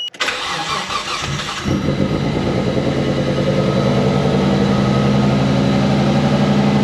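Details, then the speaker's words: Nissan R33 DE+T project on its first start: cranks, catches, then a lumpy, stumbling idle; engine misfire with cylinders one, two and four dead, running on three. "definitely got a miss so you could hear starts and run doesn't sound too happy right so we've got one two and four are dead we're only running on three cylinders"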